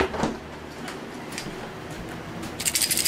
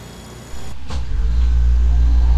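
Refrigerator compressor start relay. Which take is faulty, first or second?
first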